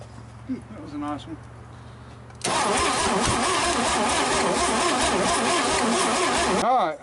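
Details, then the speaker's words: GMC 305 V6, first start in years: engine catches abruptly and runs harsh and uneven for several seconds, not running like the other engine; ignition timing suspected out, noise from exhaust unclear. "somebody's got this thing out of time so we're gonna run the phone over here real quick he seems good but I can't tell if there's a noise in it or not the exhaust the slab it just it's not running the same as the other one"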